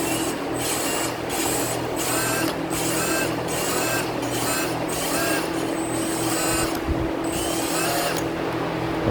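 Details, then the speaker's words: Kawasaki FR541V engine rebuild, lapping the valves by hand: back-and-forth scraping strokes under a second apart, grinding at first then turning even and smooth, a sign the valve is seating well. "I could hear it grinding pretty good at first and then it just got really smooth. So that might be the telltale sign that we're good."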